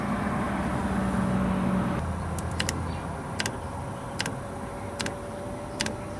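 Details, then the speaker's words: JP Heaters 2kW Chinese diesel air heater installed in a bus, startup set to 21 degrees after bleeding the fuel line: low fan hum with sharp fuel pump ticks in short clusters, about every 0.8 s; normal priming at startup. "microprocessor is checking everything making sure it's good to go and it's about to give this pump a quick kick to check the"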